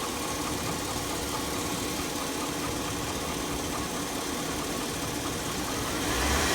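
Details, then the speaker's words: 2002 Chevy Avalanche 1500 5.3L V8, 214,000 miles, warm idle: a steady light ticking knock of about three to four a second, diesel-like and worse over the past year. The owner compares it to a 5.4 Triton cam phaser tick; source not obvious. "sounds like a 54 Triton s like a diesel"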